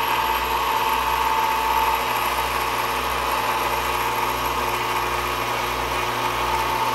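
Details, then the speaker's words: Ham IV antenna rotor, about 25 to 30 years old, after teardown and lubrication; steady, even motor hum with light metal gear whir and no catching or grinding, smoother and quieter than before the service. "not only does it sound smoother but I think it's actually turning faster it's still noisy but it's you know it's a big engine and it's big metal gears but it's nowhere near as noisy as it was and it's much smoother"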